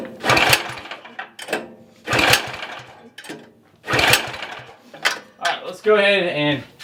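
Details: Cub Cadet FT24 tiller, choke on, fuel in tank: several recoil pulls about every two seconds, engine turns over briefly but never catches; won't start, carburetor suspected and later cleaned.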